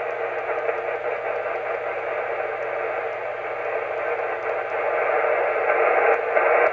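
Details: Heathkit SB-610 monitor scope connected by coax to an FT-857 on the bench: strong steady rushing hiss in the receiver audio, swelling louder near the end; faulty tube socket in the scope injecting noise.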